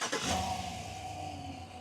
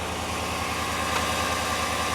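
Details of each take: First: After new alternator fitted (old one had failed one-way clutch pulley, some bearing noise and erratic voltage): engine starts, smooth quiet idle and clean shutdown, no squeal or rattle from front pulleys. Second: Idle runs on, then sharp metallic rattling clatter right at shutdown; failed alternator one-way overrunning clutch pulley, after skipping and rough running were already fixed.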